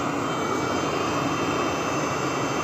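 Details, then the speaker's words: Webasto Thermo Top Z/C-D water heater on bench test, water pump rewired after a broken wire caused earlier overheating: steady, even burner roar with no sputtering or surging, water steaming; running normally. "jak widać woda paruje wszystko działa jak należy"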